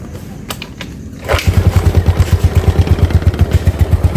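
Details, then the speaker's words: Yamaha Mio Sporty carburetor scooter, arrived pushed in, oil and spark plug already changed: idles normally but chugs unevenly and stumbles on throttle, dying if forced; carburetor slide needle loose. "Hidup normal, langsam ya, tapi dia nggak mau digas ya. Kalau digas dia berbet, terus kalau dipaksa mati dia."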